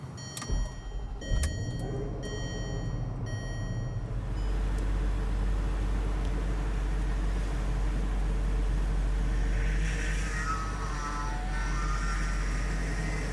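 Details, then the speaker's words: 2007 Range Rover Supercharged (L322) at idle after high-pressure power steering hose replacement, during bleeding: whine rises and falls as wheel is turned lock to lock; fluid still foamy with air, pump noisy. "Still getting some sounds. Still noisy, okay."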